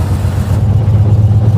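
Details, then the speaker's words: 1956 Chevy Bel Air V8 after swapping the carburetor: deep rumble that picks up cleanly as the throttle is blipped, no stumble or hesitation; throttle response sounds healthy. "okay sounds pretty clean so far let's see if it's got throttle response [Music] sounds like it likes the vacuum second here"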